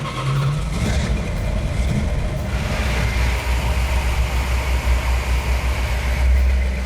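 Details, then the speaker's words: Restored Plymouth Cuda V8 with a rebuilt engine, 65 psi oil pressure at idle: deep, even rumble with a steady beat and no miss, tick or knock; running cleanly and healthy. "It runs like a dream. It doesn't miss. It doesn't hiccup. There's no noise in it."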